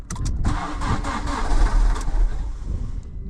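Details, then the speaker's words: Fiat Panda 100hp Sport, sat two years, with new battery and new alternator belt, alternator freed after being stuck from sitting: short crank with clicks, then engine catches into a rough, low rumbling run; starts and alternator charges. "oh looks like the alternator wearing and creating electricity oh trer good old hundo so that just saved us buying an alternator"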